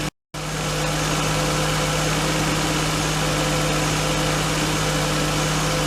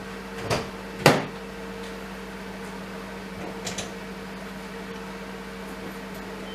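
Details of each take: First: R32 Skyline RB25DE engine on new NP Boosted/Napol ignition coils and harness, restarted to check for the earlier start-up misfire: after a brief cut-out it settles into a steady, even idle hum with no stumbles or missed beats; misfire not repeated, normal idle. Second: R32 Skyline RB25DE engine just after fitting new NP Boosted/Napol ignition coils and harness, fitted for low power under boost: on first start it cranks, catches with a couple of uneven stumbles, then settles to an even idle; brief cold-start misfire, cause unknown.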